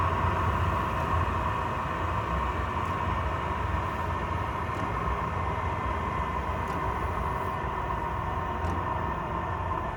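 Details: Chinese diesel air heater running normally when warm, roasting hot, after restart following four to five months unused; steady, even combustion roar with constant fan hum, no surging or misfire pops.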